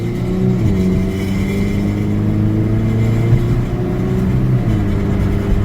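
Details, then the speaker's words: Chevrolet Aveo, 108,000 miles, repaired with junkyard ignition module and replaced wires, quick pull while driving: engine note climbs smoothly with clean gear changes, no knocks or misfires; healthy acceleration. "so now I'm gonna see if I can do a quick pull and see how the car treatment"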